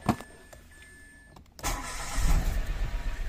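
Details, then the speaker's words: Mitsubishi Mirage with check engine light, codes bank 1 sensor 1 O2 low voltage and cylinder 3 misfire; coil and O2 sensor already replaced, MAP sensor unplugged; starts, idle swells and sags unevenly on its own, unstable with likely misfire. "Yan na siya oh. Bumabagsak siyang kusa oh. Ayun oh. Andar. Tapos bagsak. Andar bagsak."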